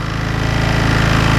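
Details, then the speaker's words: Qualcast lawnmower engine running after a service: steady fast hammering knock at firing rhythm, with smoke coming from the air filter; owner suspects the big end, not confirmed. "It's got a knocking noise coming from, I think, the big end of it, and we are getting smoke"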